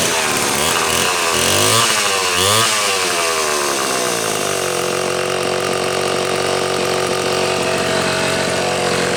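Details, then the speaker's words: Homelite C-72 two-stroke chainsaw, muffler stud upsized to 1/4 inch: revs up and drops back cleanly, then holds a steady high buzz with no stumbling or bogging; sounds pretty good, runs healthy. "Sounds pretty good. Sounds pretty good. Looks pretty decent."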